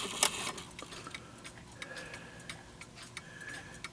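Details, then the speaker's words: 1970s German Linden triple chime mantle clock with a Hermle 1051-020 movement, test running after rebushing and reassembly, chimes not yet set: crisp, even ticks at a steady beat, nothing dragging or skipping; running healthy. "okay got it back together test running it now no Chimes the Chimes haven't been set yet"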